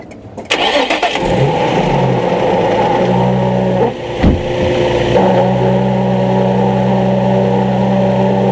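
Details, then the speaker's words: 2003 Nissan 350Z, engine running: steady whirring squeal appears when clutch pedal is pressed and stops when released, louder pulling away until pedal fully out, gears engage fine; owner suspects throwout bearing, unconfirmed. "it's my 03 350Z got a bad clutch squeal going on sounds just like a throw up bearing"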